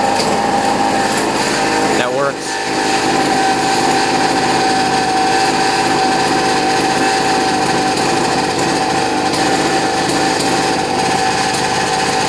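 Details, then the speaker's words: Boreem Tankman scooter, small two-stroke, idling after much repair work: buzzing with a loose metallic rattle and uneven misfiring beat. It sometimes takes minutes to start but runs and drives; cause not yet found. "so as you guys can hear it's kind of like rattling you get it's it's kind of misfiring but uh it does run it does drive too"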